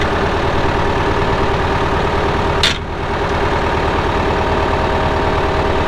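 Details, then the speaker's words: 1975 Case David Brown 1212 tractor, 71HP engine, 4,353 hours: a steady, even diesel idle with a firm low beat and no knocks or misses. The engine sounds good. Normal idle. "Like I said, hydraulics are strong, engine sounds good, steers well."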